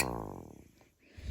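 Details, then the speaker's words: Sterling F-2 siren, probably 1960s, chopper spin-up with horns removed after greasing bearings: smooth whir coasts down and builds back up with no grinding or scraping; slight residual noise likely brushes; runs smooth. "But yeah, this runs great. Ever since I greased the bearings and ran it a while, it's real smooth."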